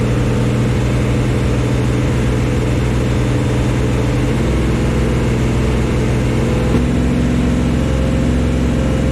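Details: 1974 Chevy Nova, freshly installed Chevy 350 V8 on first start: a deep, steady drone at a raised, even speed with no knocks or misses while the cam breaks in. Normal. Oil squirted from the valve covers without a PCV valve or breather; adding a breather fixed it.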